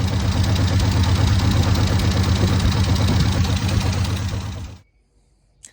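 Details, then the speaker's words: 1972 Chevy C10: a smooth, even low idle with the carburetor idled down, no knocks or misses, then shutoff. No blow-by from the vent tube, and leftover acorns are burning off in the exhaust. "Idling the carburetor down a little bit. The whole thing's not running bad. Not any blow-by coming out of the vent tube there. Acorns burning."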